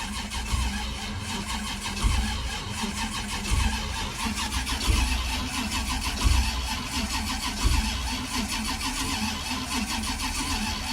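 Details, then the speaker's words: 1981 Cutlass with a 403 V8, unstarted for 2–3 years, cranked with the spark plugs removed to build oil pressure before the first start: even, light starter whir with no firing or compression pulses. Normal cranking. "All right, come on. I need you to build some oil pressure."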